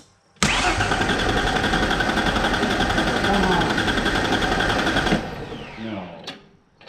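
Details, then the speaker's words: 1994 Mazda B3000 with swapped 4.0 OHV, after adding about 16 L of fuel from the other truck to replace water-contaminated fuel: fires, runs lumpy about five seconds, stumbles and dies; water still in the injectors, expected to clear. "still water in the injector. So, it's got to it'll clear out."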